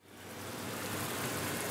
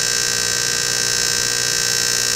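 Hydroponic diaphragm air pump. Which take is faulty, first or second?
second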